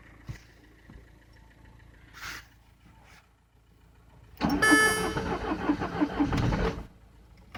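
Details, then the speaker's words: Frozen Citroen C5 diesel in winter, being jump-started with a weak battery; the owner thinks the glow plugs work and blames summer diesel, with an immobilizer fault shown. A couple of seconds of slow, laboured cranking that never catches: a cold no-start. "I never have immobilizer fault in this car. So summer diesel don't work very well at winter."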